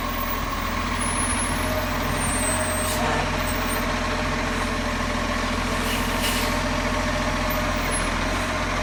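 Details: Heavy diesel rumbles steadily under a constant low buzz that holds its pitch throughout; the source of the buzz is not pinned down.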